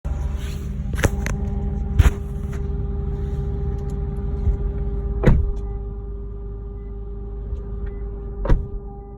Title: Lexus GSF buzzing / humming sound from under rear seats